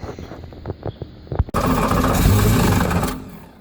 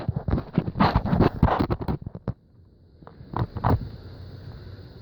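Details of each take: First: Volvo Penta 5.7 L boat engine with a no-start, new spark plugs fitted, starting fluid sprayed in: cranking clicks, then it catches and roars about a second and a half before dying; it fires only on starting fluid. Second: Volvo Penta 5.7 L boat engine cranks raggedly, then catches and settles into a steady rumble. The no-crank was fixed by cleaning the starter-to-battery connections, with the neutral wires jumped.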